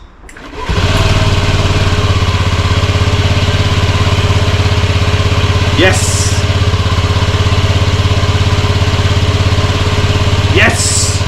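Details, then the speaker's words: Honda Scoopy Metropolitan scooter after reassembly, key on with relay click and fuel pump prime: starter whirr, then the small single catches and settles into a steady, even putter at idle; starts cleanly and runs smoothly. "all right now that we could confirm that it starts which is fantastic news"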